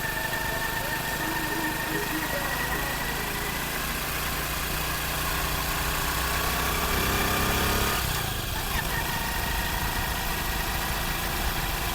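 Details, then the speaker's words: Honda CD 70 after gearbox repair for fourth-gear noise and shifting problem, first test run: small single-cylinder engine runs smooth and even with a brief rev blip, no gear whine or knocking; fault fixed. "अभी आपके सामने bike की हम first testing करने जा रहे हैं और देखते हैं जो हमने काम किया है जो हमें फाल्ट मिला है उस फाल्ट को ठीक करने के बाद बाइक की वो वाली प्रॉब्लम जो पहले आ रही थी वो ठीक हुई है या नहीं हुई"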